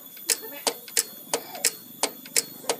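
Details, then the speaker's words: Yamaha Vixion gearbox shift drum turned by hand: stopper spring is stiff, stretching hard as the roller passes the star's peaks; sharp evenly spaced clicks about ninety a minute, each a hard snap, giving rough, hard gear changes. "Nah ini kan menarik bagian pegas ya dan bekasnya ini kalau untuk Yamaha Vixion itu cukup keras Hai sehingga ketika posisi berada dipuncak seperti ini nah disini terjadi peregangan yang cukup kuat ya"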